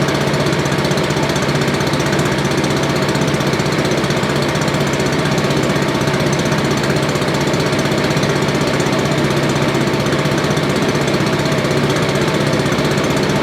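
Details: Billy Goat leaf blower, Briggs & Stratton 9.5 hp single found headed to scrap, sooty plug, low compression, slightly choked: steady even beat at constant speed, no misfire or backfire, running properly.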